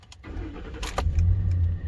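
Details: 2010 Ford F-150 5.4 Triton just after an oil change and a pre-lube crank: a short crank, then a clean catch and a smooth, even idle with no knocking. Oil pressure rises quickly.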